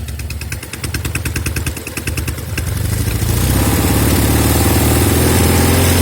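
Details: Norton Commando twin idling and revving with a lumpy, stumbling beat: left-side cylinder misfire, some smoke from left side on throttle; carbs, ignition, plugs, cables ruled out, no air leak found at manifolds or head gasket.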